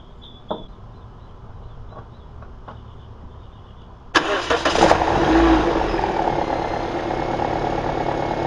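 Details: 2009 Toyota Corolla just after alternator replacement and belt tensioning, started to check whether the earlier hideous noise is gone: a few clicks, then a smooth, even idle with no squeal or whine.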